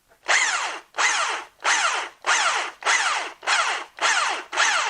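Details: Bosch PST 53A jigsaw that had been cutting out intermittently, tested after the repair with the cover held by one screw. Repeated short bursts as the motor spins up and stops, each run clean and steady. Normal running; the fault appears solved.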